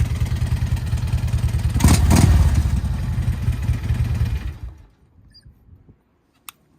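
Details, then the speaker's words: Crash-damaged motorcycle at Copart auction (bent forks suspected, crimped exhaust, damaged tank) starts, revs up and settles with an even firing beat before shutting off; sounds good, normal running with revving. "Huh. Well, we got one that ran. I don't feel like a failure at this point."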